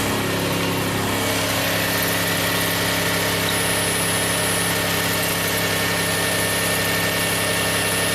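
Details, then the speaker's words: 2000 Toyota Sienna 1MZ V6, 540,446 miles, with a cylinder 5 misfire code (P0305): steady, even smooth idle, no stumbles, no misfire counts; normal. "good enough beautiful no misfire counts"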